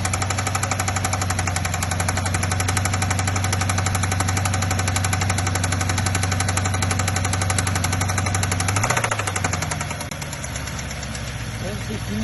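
Sharp, rapid, even knocking rides over the cold idle and eases as revs settle: a cold-start knock of unknown origin.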